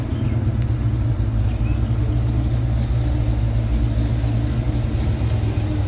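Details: 1989 Ford Mustang with a 351 Windsor V8 after idling a while, not yet 180°, oil pressure just over 50, AFR about 13.2–13.5: deep, steady V8 burble with an even beat, no ticks or misses; normal settled idle.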